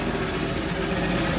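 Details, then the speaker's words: Engine stood a long time, second start with idle control valve missing so it cuts out at tick-over, pedal propped: low, slightly uneven chugging idle while warming; owner suspects burning off old oil in the cylinders. "Sounds chucking a bit. Just let that warm up. Warm up a bit now. I think it's just burning off the old oil that's just been sat in cylinders"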